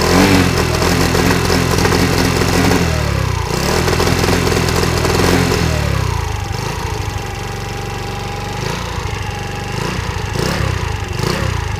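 Small moped engine revving and dropping back, with sharp irregular pops on the overrun; a backfire problem, cause not yet found. Cause suspected, not confirmed.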